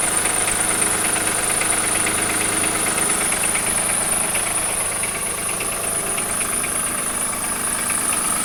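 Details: 2003 Acura MDX V6, 208K miles, multiple-cylinder misfires, overdue timing belt, noisy water pump, valves ticking ~30K miles: idle with light regular knock about three a second; dealer suspects wrist pin or rod bearing, owner suspects jumped timing.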